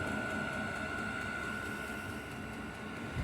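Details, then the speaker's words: 5 kW diesel heater on workshop cart, after start-up once warm: steady even combustion roar with constant high fan whistle, no surging or popping; burning cleanly, running normally. "Oh, that's it, it's going now. Yeah. That's what we want. That's what we want in the workshop."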